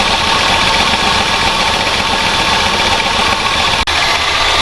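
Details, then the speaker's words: 46-year-old Plymouth Volare 318 with lean burn spark control, revived after 20 years sitting in the desert, idling at first run: fast light ticking over steady idle, motor "a little chattery, not too bad"; cause unconfirmed. "Yeah, motor's a little chattery. It's not too bad though. It's alright."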